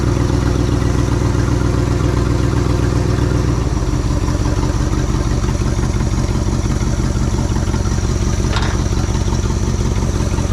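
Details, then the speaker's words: 1967 Ford F-100 V8 that sat over 20 years, running after a bent pushrod was straightened and the valve covers were resealed with RTV: low steady exhaust thump at idle, even firing, no knocks or misses; temperature and oil pressure present, slight blue smoke. "well there you go it absolutely does run we've got a good exhaust loop going on over here we even have some temperature and some oil pressure"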